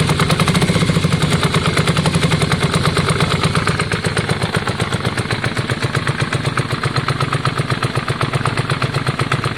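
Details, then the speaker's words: Yamaha Virago V-twin just started after exhaust swap and carb clean: lumpy, uneven idle with a limping beat about four pulses a second; front cylinder stone cold, rear warm, so front suspected dead. "yeah and the front one's stone cold let's give it a few minutes i don't think it's on jon i don't think that front cylinders on is it"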